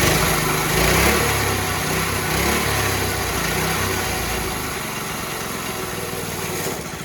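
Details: Coyote Bullet go-kart single-cylinder engine with a new carburetor, smaller sprocket and adjusted chain: crisp buzz rising and falling cleanly on throttle blips, no misses. Normal running.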